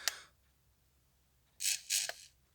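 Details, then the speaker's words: Beta FPV Lite Radio 2 transmitter from a Mobula6 kit, shaken; sharp click then two dry rattling bursts from a loose piece inside the small vibration motor, to be opened and weights removed. "as you can hear, I have to take this apart because something's loose inside that little motor, the vibrate thing."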